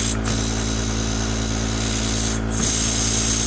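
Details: Small single live-steam engine in an RC boat, reversing valve tested out of the box: steady low hum with an even chuff of about three per second and no knocks after direction is switched. It runs smoothly, though it is hard to restart at low pressure.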